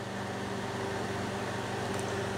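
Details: Maco 750 tube amplifier on the bench, modded with a 23V filament transformer running mixed 21/23V filament tubes (21JS6), warming up: steady low transformer hum, faint even tone and smooth cooling-fan rush, no crackle or arcing; normal.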